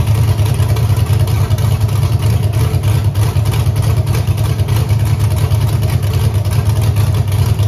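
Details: Camaro with Holley EFI 5.3 LS V8, closed loop off, wideband suspected: deep idle with an uneven, lumpy beat of about three pulses a second; sounds like a missing cylinder, eight suspect, unplugging its coil changes nothing; cause unclear.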